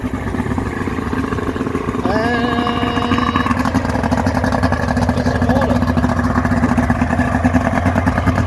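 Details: Mercury 40hp two-stroke outboard after an impeller replacement, given a little throttle. Continuous uneven cranking churn with a brief tonal wail but no clean firing; cranks but fails to start.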